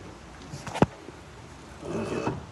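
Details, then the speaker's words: Nissan with a steering-area noise: a sharp clunk, then a rough creaking groan as the suspension is loaded by hand, worse when forced; a worn stabilizer link that needs replacing. "faz é trocar essa trocar essa beleta aqui que ela tá arranjando é certo quando eu força ela faz mais ainda"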